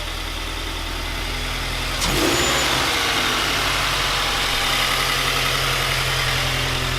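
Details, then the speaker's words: 2020 Toyota 86 started right after Megan Racing headers and overpipe install with catback, one header bolt not fully tightened: catches about two seconds in, holding a steady, even, very quiet exhaust note, no knocks or misses; healthy, just soft. "okay now we're gonna start the car see how it sounds so very quiet"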